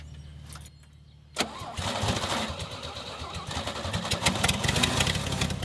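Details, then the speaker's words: Old Toro Parkmaster tractor sat for years, run with fuel tank off and a hose into a gas can; catches and runs rough only on poured-in fuel, then stops; owner suspects fuel pump dried out and not feeding. "seems to be running just long enough to use up the gas that i poured into it"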